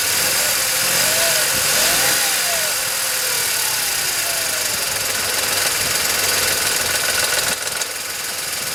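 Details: VW Polo 9N 1.2 12V, 198,000 km; light metallic tapping about three per second at idle only, developed over time; owner suspects timing chain but unsure; metallic knocking at idle, cause unconfirmed.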